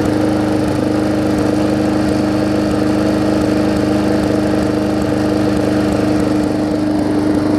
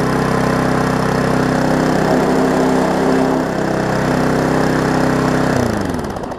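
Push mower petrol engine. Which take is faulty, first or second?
second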